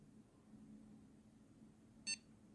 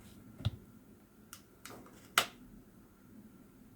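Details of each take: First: Homemade motion controller for fixed-wing FPV drones, unlocked: one short high beep in a quiet room as the tilt dot leaves the command zone into the buffer zone, a preliminary warning the controller is tilted too far. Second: Homemade fixed-wing FPV drone motion controller powered on with joystick held up-left: after handling clicks, about six quick short high beeps, the distinct Wi-Fi mode boot tone, LED flashing instead of steady.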